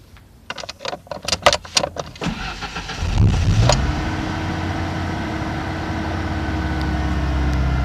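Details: 1991 Ford Ranger 2.3 with a misfire since its cam belt job, after the EGR valve and MAF were cleaned and the EGR and idle air control valves refitted: slightly uneven, hesitant idle that revs better higher, with a reading flickering; the owner suspects the ignition control module.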